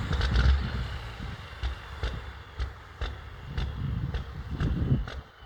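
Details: Smoking diesel big rig idling and revving at the roadside, then driving off with no power: heavy uneven loping idle with thumping pulses and rev swells; rough running, cause unclear.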